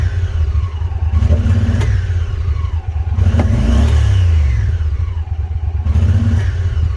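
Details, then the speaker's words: Honda Pioneer 1000 UTV, about 14,700 miles, warmed up after driving all morning: revving brings burbling, popping and stuttering, no power, limited to ~45 mph; owner suspects failed fuel pump or clogged fuel pressure regulator, pump replaced. "but if i try to rev it up do that burbling that popping it's like stuttering"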